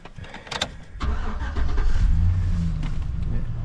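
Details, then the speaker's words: 2005 GMC Sierra truck, cold start at about 2° with ice around, after new brake lines and radiator hose clamp fix: a few quick cranks, then deep even low rumble with no knocks; clean healthy cold start. "it purs like a kitten purrs like a kitten"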